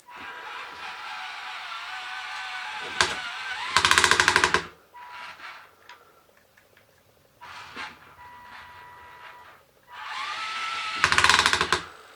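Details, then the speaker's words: RC Volvo A40D articulated dump truck model climbing a hill with slip clutch screwed solid: motor whine under load breaks into rapid harsh ratcheting twice; gearbox gears slipping, drive motor too weak. "So you can hear the gears are slipping in the gearbox. So even though we have the slip clutch fixed, we still have no improvement."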